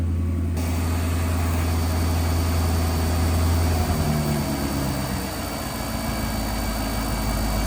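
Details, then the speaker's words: Car with 28-year-old injectors after their first cleaning and new O-rings, restarted (previously good cold start, hot-start problem): drone settles as revs drop to idle, but idle stays uneven and lumpy; rough idle, cause still unknown. "He's still idling rough. I don't know what it is, man. I have no idea what the reason is at this point."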